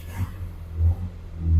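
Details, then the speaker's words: Morris Minor after about 8 months unrun in storage, choke on: deep low rumble swelling in three rev blips and settling back, catching cleanly; engine runs fine. "There we go, baby. Beautiful. Wow, I haven't had this run for a good 8 months."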